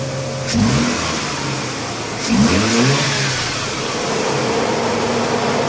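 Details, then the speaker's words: Mazda RX-8 Series 1 rotary after new NGK RE9B-T trailing and RE7C-L leading plugs, NGK RC-ZE81 wires and UltraPower U501 coils: engine catches and revs twice, rising cleanly and settling to a smooth even idle, no misfire or stumble; normal running. "all right as long as she runs you are good to go"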